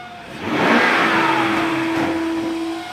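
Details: BMW 540i V8 after valley pan replacement: quick rev with a thin, steady whistle riding over the engine as it settles; suspected vacuum leak, not confirmed.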